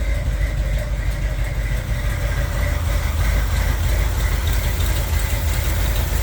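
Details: 1978 Corvette V8 at steady idle with open-window valve covers fitted: light tapping about three times a second keeping pace with the engine; one cam lobe almost fully worn, another on passenger side worn, camshaft damage, camshaft to be removed.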